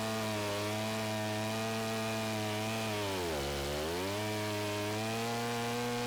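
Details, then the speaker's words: 090 chainsaw milling on a 42" Panther Mill with the throttle locked and the governor removed: steady high scream that sags under load, then races back up fast; over-revs with no governor. "the chain speed and the RPMs obviously increased so the chain speed increased as well so the cut speed went up but as you can hear it really started to rev up really quickly as I wasn't able to keep a constant load applied to the"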